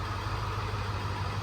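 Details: 2002 F250 with the 7.3 diesel, after fixing injectors another shop had left improperly torqued. Running with the valve cover off and oil in the cylinders, it gives a steady, even, low idle with no knocks or misses as the smoke clears.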